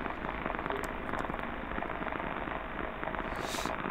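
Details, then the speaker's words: Pump motor bearing running: dense, irregular crackling with many sharp shocks. Opening the motor revealed a damaged bearing from over-greasing. "C'est un roulement qui n'est pas content du tout, comme vous le voyez ici, hein. Il y a beaucoup de chocs, on l'entend à l'oreille, hein, c'est pas plaisant."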